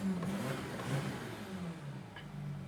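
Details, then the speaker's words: Audi Q7 diesel, 162,000 miles, brought in for rough running, limp mode and cylinder contribution code P0263; engine running in the shop revs smoothly with a low drone, no misses or knocks, sounds not too bad. "All right. So, engine is running. Doesn't sound too bad."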